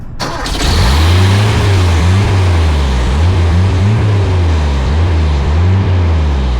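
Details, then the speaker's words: Toyota just swapped to a 22R carbureted engine: engine surges and sags unevenly, kept alive only on throttle, won't idle, seemed down a cylinder; suspected carburetor-base vacuum leak, being spray-tested, not confirmed. "there could be an absolutely atrocious carburetor leak or you know vacuum leak underneath the carburetor which could be causing the situation we're in right now."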